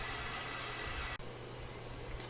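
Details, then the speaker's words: Four-zone ductless mini split with 130 ft line set, unit about 50 ft away, leaking: steady airy hiss over fan hum from low refrigerant charge; after adding half a pound of freon the hiss drops to about half and cooling improves. "I add a half a pound of freon and the hissing is about half as much as it's weird and it's actually a lot cooler"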